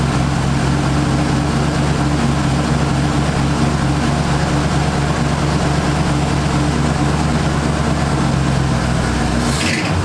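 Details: 1978 Ford Fairmont Futura inline six after GT40P head swap, Holley two-barrel carburetor, just started: steady, even low idle with a smooth unchanging hum and no misses or ticks; vacuum in the green, electric choke may need adjusting.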